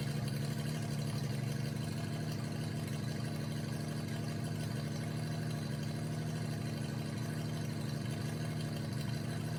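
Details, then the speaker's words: 1988 Jeep Comanche MJ 4x4 revived after years sitting (fuel tank cleaned, new fuel pump and lines): motor sounds healthy but deep, loud blatting idle comes from an exhaust leak at the pipe under the cab, first bend, not the header. "Uh the motor itself sounds really healthy, but the exhaust sounds terrible."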